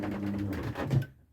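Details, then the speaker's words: SWS garage door opener with the door half open, commanded up: the motor hums steadily and the door starts lifting, then a clunk and the drive cuts out within a second; it stops partway before two long fault pulses. "but stopped. Two long pulses. Try again upwards."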